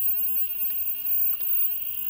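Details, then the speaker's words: SEMP Toshiba CRT TV under repair, screen lit: faint, steady very high-pitched whine with a softer tone near 3 kHz, blamed on the flyback; no visible arcing in the dark, fault thought internal, replacement ideal; high-pitched whine. "o que tá fazendo esse barulho é o flyback mas assim vazamento parece que não tem mas alguma coisa interna"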